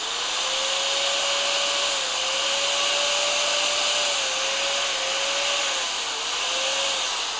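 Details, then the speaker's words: Bosch GBM320 corded drill after repair, first test: steady mid-pitched whine with no rattle or scraping; burning smell gone, slight sparking normal until brushes bed in; running normally. "ฮะปกติแล้วนะครับตอนนี้ไม่มีกลิ่นแล้วนะครับจะเห็นไฟแลบอยู่นิดๆนะครับอันนี้เป็นปกตินะครับ"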